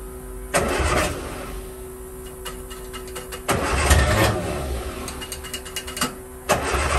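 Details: 1963 Austin Healey Sprite 1098, after replacing the fuel filter and gaskets, with fuel now flowing under pressure. The starter churns in three long bursts with short pauses but never fires; it still cranks and won't start.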